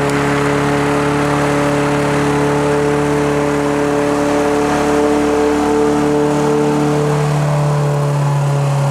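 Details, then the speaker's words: Toro Recycler mower's small single-cylinder engine: steady, high, even drone with no dips; it runs well and the carburetor bowl doesn't leak, but idle speed sits a touch high and could come down. "sounds like the uh engine RPM could come down that is just cranking uh we can do that"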